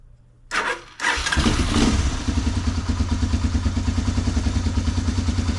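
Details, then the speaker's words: 1985 Honda ATC 250ES Big Red three-wheeler, barn-stored for years, spark plug cleaned and reused: brief cranking, fires easily, settles into steady even thumping idle, no knocks; good compression, normal running. "Look like it's got pretty good compression. That is awesome."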